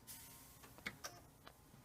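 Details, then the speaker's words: Original Xbox with a DVD disc drive whose tray is stuck: sharp, uneven clicks over a faint hum as the drive tries to move, a familiar Xbox fault that sounds like nothing good. "all you Xbox users will be familiar with this now what the heck is that that is nothing good"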